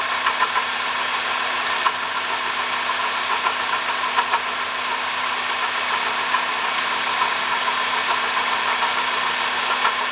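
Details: 2005 Honda Odyssey (registered Nov 2005, 268,167 km, CVT) at steady idle: constant gritty rushing whir with faint ticking from a worn water pump bearing; replacing the water pump, thermostat, thermo switch and coolant cured the noise.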